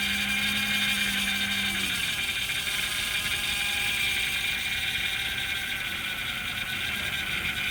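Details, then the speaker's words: 2004 Buick Century at a police auction, just started with a jump box: constant high-pitched squeal over a quiet idle right after start-up; slipping accessory drive belt squeal, which may quiet down. "Start it up with a jump. I hear a belt squealing. Maybe a little quiet down."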